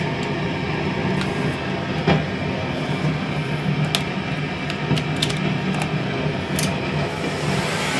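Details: Fender Vibro King tube amp with a loud roaring noise: steady hiss with sharp crackles and pops; traced, using freezer spray, to a leaky capacitor at the tone-control circuit output.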